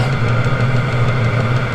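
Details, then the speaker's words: Chinese diesel heater running at full power during blizzard truck camping in Rocky Mountain National Park, drawing a stated 4970 watts: steady, even low hum with smooth fan rush, no surging, misfiring or rattles; normal full-output running. "And I'm only using 4970 watts on full power here."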